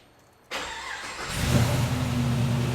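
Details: LS-swapped G-body Cutlass after fixing a three-year fuel system issue: short crank, catches within a second and settles into a steady idle without stumbling; starts cleanly, though a little lifter tap is noted.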